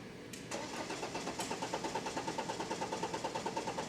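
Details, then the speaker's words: BMW 520d N47 diesel with metal particles in fuel line: starter cranks steadily at about three compression pulses a second but never fires; rail pressure only 23–25 bar against about 300 bar needed, pressure regulating valve faulty. "자 고프레 력이 전혀 올라가지 못하고 있죠 360가지 가르쳤는데 23 밖에 안 돼요"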